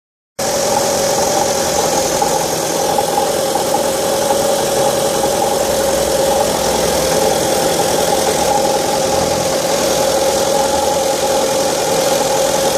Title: Strange engine noise during cold start (1.8 Fiat Stilo Petrol)